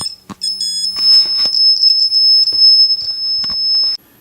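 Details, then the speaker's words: Shadow Detector under test: shrill, high steady beep nonstop for about four seconds then stops; alarms as if not seeing the light source, blue light not working properly. "if i back up just a little bit the machine starts beeping again and is not seeing the light that is right there"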